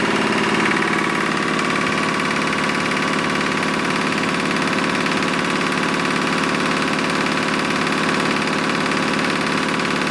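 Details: Lister diesel air compressor running with the regulator set at 60 psi after the missing drain plug was refitted; it thumps along at a constant speed with an even beat, about three per second, and no knocks or misses, normal running.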